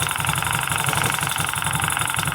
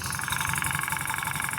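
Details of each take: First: Small motorcycle idling with a steady, even pulse and no misfire or clatter after replacing a faulty spark plug cap (noise suppressor) that mimicked an internal engine knock. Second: Motorcycle engine running with a sharp, regular ticking that the owner thought was a valve, cylinder or head knock. The noise actually came from the worn spark plug cap (noise suppressor) arcing.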